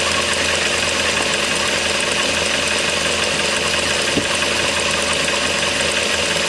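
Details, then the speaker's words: 2008 Mazda 3 with AC compressor clutch that would not engage, after clutch coil replacement, AC switched on at idle: even idle hum with one sharp click about four seconds in as the clutch pulls in; normal engagement. "Alright, there you go. So, coil swap was successful."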